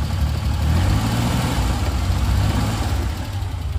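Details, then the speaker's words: 1989 Daihatsu Hijet Zebra 1000: low even idle burble, steady rhythm, no tapping or misfire; engine still fairly smooth, normal idle. "Nah, mesin juga lumayan, masih lumayan cukup halus."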